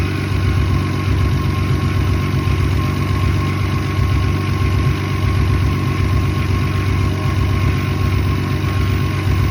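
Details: Toyota 7M-GE engine at idle: loud, low idle lurching unevenly about 1.5 times a second instead of running smoothly; rough idle.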